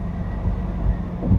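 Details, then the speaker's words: GM Envoy on a hoist in four-wheel drive, in gear: deep steady growl with low rumble, no knocking, likened to an airplane taking off; worn front wheel bearing. "kind of growly sounds like my mom described as a airplane taking off"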